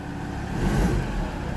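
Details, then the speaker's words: Mazda BT-50 after fixing no-crank no-start, recorded in the engine bay at the front; short firm rev climbing and settling smoothly, no knocks, misses or delay; charging voltage 14 V; normal. "Dito tayo sa harap ng engine tayo mismo engine bay tayo Okay naman yung kanyang andar. Walang problema."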